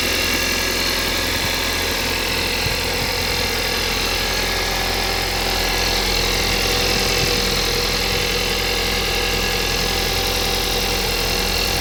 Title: Стук на холодную